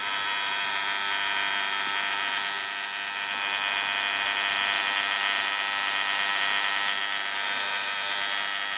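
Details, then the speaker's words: Time switch motor running: harsh steady high-pitched buzz with fast rattling pulse, far noisier than expected, cause unknown; a magnet solenoid acts as brake on the mechanism. "i don't know why i say damn noisy though it's definitely not a caesar a bit weird what would be uh so damn noisy that's"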